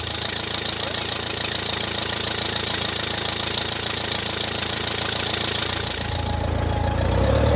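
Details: 1959 Case 300 tractor four-cylinder with updraft carburetor, warm day, idling evenly with a faint charging whine after the burned-up generator was rebuilt; ammeter shows charging, about 15 V on an AGM battery; sounds healthy, normal idle.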